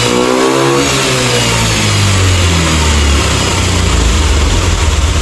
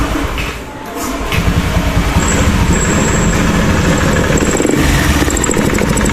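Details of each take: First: Honda Beat ESP scooter, after fixing faulty injector, previously stuttering at top revs and hard starting: engine climbs smoothly from idle to high revs and holds steady with no stumble or misfire. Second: Honda Beat eSP scooter, already partly dismantled, hard to start and misfiring at higher throttle: catches, then stumbles and sputters badly and dies.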